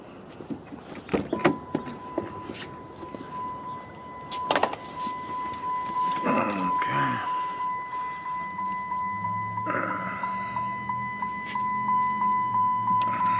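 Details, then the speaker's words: Chrysler 300 5.7 Hemi, 127,000 mi, first start after repairing a dropped valve seat, with oil pre-primed: cranks, catches and settles to an even idle with no lifter tick, music partly covering it. Sounds normal. "sounds pretty normal no lift or ticks or nothing Prelude took care of that"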